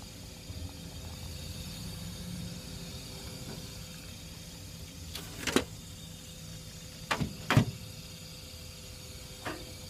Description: As soon as the fan is plug, even if it's not spining, the noise is present.